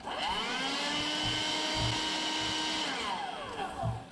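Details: Bosch 2in1 BBHMOVE5N/01 cordless vacuum on its original 15-cell NiMH pack (1.5 ohm internal resistance, 20.19 V): motor runs with a steady, fairly low whine that sags and winds down; worn battery not giving the motor full speed.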